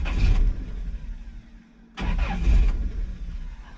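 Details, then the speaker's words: 1997 Toyota Tacoma 2RZ-FE with an intermittent P0171 lean code and a new O2 sensor, engine hot: two short bursts of cranking that never catch, then silence; owner wonders if too much fuel is being dumped in, cause unknown. "okay so here's our hot starting issue sometimes it doesn't want to restart like that I'm wondering if that because it's dumping too much fuel in"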